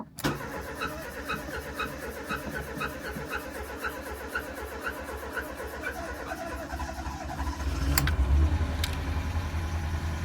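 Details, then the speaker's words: Mk3 Ford Fiesta petrol, first start after cylinder head rebuild for a burnt inlet valve, fresh oil and filter: quick repeating high chirp over the idle on start-up; suspected squeaky auxiliary (alternator) belt, not confirmed. "Surely that just sounds like the um, alternator belt. The auxiliary belt, the auxiliary belt is a little bit squeaky."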